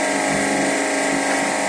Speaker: Este es el ruido que presenta.